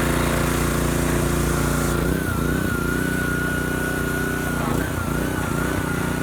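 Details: Husky pressure washer repowered with a new Honda GCV190 engine, fresh oil added: steady, smooth small-engine drone with a faint high whine from the pump, which is making a little noise. Engine runs fine; normal running.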